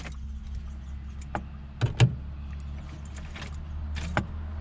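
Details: 2006 Nissan Frontier 4.0 V6 manual, towed in, key turned with clutch down: no starter click or cranking, lights not dimming, no communication to engine computer, ABS or body control module; fixed by a blown fuse block; no crank, no click.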